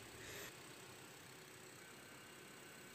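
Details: Car with AC on at idle, compressor that sounded rough at start-up now quiet: pressures about 30 psi low and 160 psi high, vent about 3 °C; even smooth hum, no growl from the pulley.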